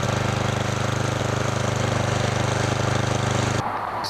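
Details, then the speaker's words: Murray Noma Craftsman snowblower after friction disc replacement, tested outdoors in snow: the small single-cylinder engine thumps at a steady even beat with no slipping or grinding while the wheels spin against a held blower. The drive works normally. "the drive works really good now what I was doing there is testing just how good the drive is by holding the blower and making the wheel spin if they spin then I know that the friction wheel system is working perfectly"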